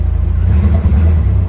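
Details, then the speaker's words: Lada Niva after sitting, first started by pouring fuel in with the air filter off. The engine sags and wavers, pretty much cutting out when throttle is given, then fires back up. Owner says the carburetor definitely needs cleaning. "Step on the fuel at all, it pretty much cuts right out. Yeah, there you go. Fire right back up though."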